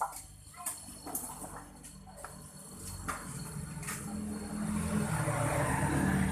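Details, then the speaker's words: Refrigerator that would not cool, compressor running after its relay was replaced: a few clicks, then a low, steady hum builds and holds evenly; afterwards hissing is heard and it turns cold. Normal compressor running. "Nyalakan Apakah kompresor mini menyala seperti yang Anda dengarkan kompresornya menyala"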